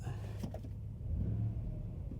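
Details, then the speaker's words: V8 pickup truck at auction, 221,000 miles, no check engine light, aftermarket exhaust, just started: deep steady low burble with an even beat and no knocks or ticks; normal idle. "I don't know if you can hear that, but it's aftermarket exhaust as well."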